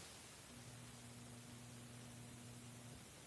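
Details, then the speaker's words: Roughly 25-year-old submersible basement effluent pump: a low, steady hum for about 2.5 s with no water moving. The pump tries but fails to pump and shuts off on its thermal protection after a few minutes; the failed pump was replaced. "it would do that for a few minutes and then it would um stop because it thermally protected so basically the pump would heat up and turn off um I found out that pump was no good and I replaced it with this pump"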